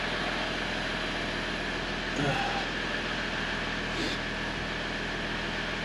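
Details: 2015 Jeep Grand Cherokee Limited EcoDiesel, 130,000 miles, idling after oil change: quiet, even diesel idle with a steady low hum and no knocks or misses; engine runs smoothly.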